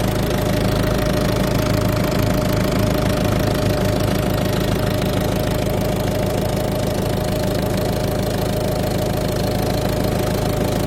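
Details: Peugeot/Citroën eHDi 112 diesel at idle: steady idle with a fairly regular knock about three per second over the engine note; owner asks whether normal, cause unclear.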